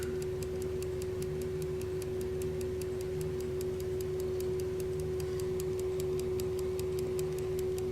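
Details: Electrically wound Telenorma (German) mantle clock movement, possibly 1970s–80s, battery powered: crisp, even ticks about three per second over a faint hum, running normally just before the coil energizes the armature to rewind the spring.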